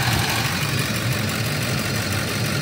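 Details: Ford F-150 V8 (code P1131) idling with an uneven, stumbling low beat: cylinder four is misfiring from a loose injector connector.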